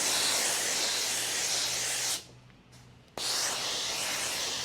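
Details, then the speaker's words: Laurastar IZZI Plus garment steamer in use on a garment: strong, even steam hiss cuts out for about a second, then returns at full force; normal steaming, with a safety mechanism tied to contact with the garment. "So when the steam passes through the garment, it condenses a little bit and it can scorch your hand, but this is here for safety."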